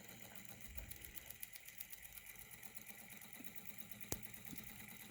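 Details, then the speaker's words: 3D-printed Newman motor on first run with its new commutator and graphite brush, supply about 12.2–12.9 V: quiet, fast, even ticking from the brush and commutator at steady speed, with almost no brush friction; normal running. "running really good I love this commutator setup especially that thing over there almost no friction at all against that graphite brush"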